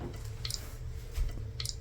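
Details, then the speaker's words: Toilet tank: two faint plinks about a second apart over a quiet room hum, a slow drip inside the tank that is hard to locate and comes from the fill valve. "Yeah, it sounds like something is dripping, but you just can't figure out where it's coming from."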